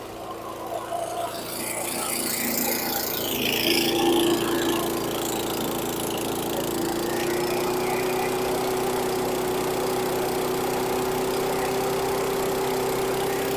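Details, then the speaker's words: 2010 Troy-Bilt CSV 070 chipper shredder vacuum with a 173cc MTD single-cylinder engine, started on choke. It gives a loud, high-rpm idle that hunts and wavers; the owner suspects it needs a carb clean. Surging idle, cause unconfirmed. "this thing is loud loud and very high RPM so kind of a fluctuating idle I'm sure it needs a carb clean"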